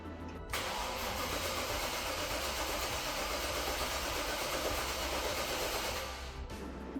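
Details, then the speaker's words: V8-swapped Mazda MX-5 (Bullet Roadster), first start attempt in over a year. About six seconds of even cranking with no firing: cranks, no start. Fuel pump never heard priming; a vacuum line was left off. "All right. It has been a while. I've never disconnected the fuel pump before, but at the same time, I never hear it actually prime. I must have not got something connected with the fuel."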